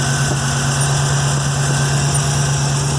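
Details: 1963 Oldsmobile Cutlass F85 idling after a new gas tank and fuel line were installed: low, even idle with a steady pulse and no knocks, misses or hiss; the engine sounds healthy.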